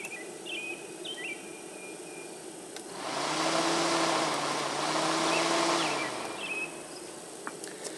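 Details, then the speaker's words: 1997 Toyota Corolla (Geo/Chevy Prizm) 1.6 L overheating in traffic; fan forced on by jumping the relay with a paperclip: steady motor whir swells in for about three seconds; radiator fan runs, so fan motor is good. "okay the fan was running so we know that the fan is good in this car"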